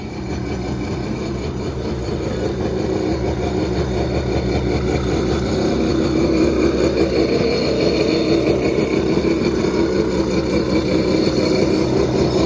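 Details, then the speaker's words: 1986 Kawasaki X2 two-stroke jet ski, first start in 35 years after oil squirted into cylinders, primed on premixed fuel: crisp buzz that fires right up and settles into a steady, even run; sounds healthy. "so let's go ahead fires right up man this thing sounds so good"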